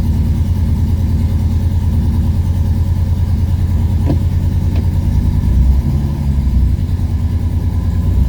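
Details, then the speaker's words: 1970 Porsche 911T flat-six on its first road drive in 12 years after 5 months of work and a fuel pump fix: deep, even drone steady through light throttle changes, with no stumbles or pops. The owner thinks fuel pressure was the earlier problem. Normal running. "It's already running better, but that could be just in my head. Already a huge improvement from when I drove it the other day."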